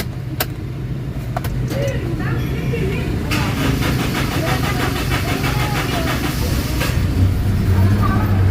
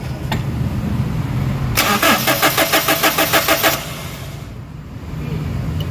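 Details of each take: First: Toyota Innova common-rail diesel, after fixing the P0351 crank-no-start fuel supply fault: cranks, catches and settles to a steady idle, one clean rev and back down; starts and runs, common rail still to be bled. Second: Toyota Innova common-rail, code P0351, cranks but won't start: fast even cranking pulses about three per second, never catching; no fuel reaching the common rail, no rail pressure, and the unit has no rail pressure sensor for the ECM to detect it.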